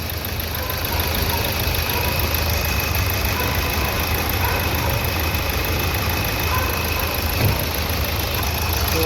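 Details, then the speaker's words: Nissan Terrano diesel after injector service: steady idle with even, light clatter and no shake or knock; the earlier vibration, misfire and knocking are gone. "ये problem तो अपना solve हो गया जो कि यहां पे आप देख ही सकते हो इजन कितना स्टेड है देख सकते हो पहले काफी इंजन वाइब्रेशन करता था मिशिंग करता था और नॉकिंग भी आता था"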